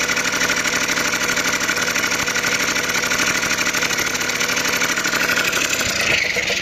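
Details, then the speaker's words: Honda NH80 Vision two-stroke scooter, first start after restoration: crisp, buzzy idle holds steady without misses or surging, and the oil pump is working; running cleanly and healthily. "right as you can hear she's running nicely and the best part is the oil pumps working"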